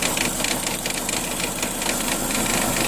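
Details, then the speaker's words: Dodge Neon with stalling, in drive with front wheel spinning: rushing whir with uneven churning pulse from the transmission; torque converter failed, staying locked up, clutches worn, black fluid on dipstick. "torque converter is done and that will explain why I have black on the dipstick"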